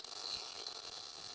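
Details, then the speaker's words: MIG (GMAW) welding, pull technique with slight circular motion: steady, even crackle like frying bacon, indicating correct settings; normal arc. "that this sounds like frying bacon and that's pretty much how you know that you have the right setting"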